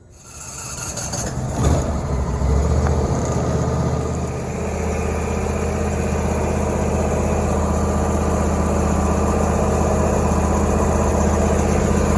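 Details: 2016 Briggs & Stratton twin-cylinder engine, model 44J677, after new intake manifold gaskets were fitted to fix a common vacuum leak. It cranks, catches and settles into a steady, even idle with no hunting or surging: normal idle.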